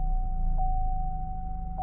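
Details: 2012 Chevy Cruze, 150,252 miles, warm just after a 40-mile first drive and restart: smooth, even low idle rumble with a faint steady tone, no knocks or misses; check engine light out; normal idle.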